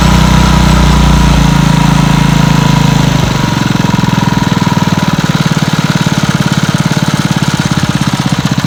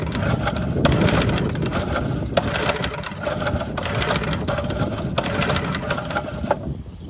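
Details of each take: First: Montgomery Ward rototiller's single-cylinder engine after a no-start fix, air cleaner still off: it catches after brief cranking and settles into an even, steady beat with no misses. Running normally. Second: Montgomery Ward rototiller that won't start, with the spark plug back in and tested: repeated pull-cord cranks whir and rattle but it never fires or pops; no-start, no spark, so the shroud comes off to check the ignition.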